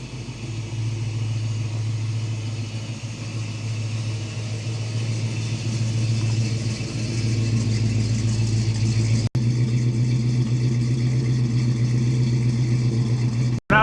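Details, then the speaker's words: Holley Sniper 2 EFI with HyperSpark and new intake, fixed after two accidentally flipped parts were swapped back, driving after idle learning, coolant 193: even, steady low hum under light throttle, no misfire or stumble; smoother, no previous air-rushing sound. "And it's feeling a lot better than it did before. So, we changed the intake. Sniper 2 Hyperspark. It feels a lot smoother."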